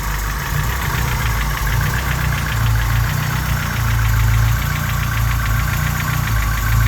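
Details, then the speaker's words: Honda G23 engine at cold idle gives a hollow, rapid diesel-like tractor clatter, piston slap louder at idle, disappearing once the engine warms up. "it's when he addling make more noise so again you see when it's adding making more noise like a tractor so that's the Piston slap"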